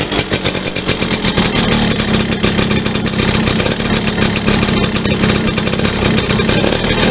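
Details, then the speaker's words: Yamaha V75 two-stroke, weak and struggling uphill, rough when hot: rough uneven running with a rattly clattering edge that never smooths out; mechanic suspects loose worn piston needing oversize, and an aged connecting rod. "nah ini kalau panas juga kasar nah ini perkiraan kita di bagian pistonnya udah lobok teman-teman ya"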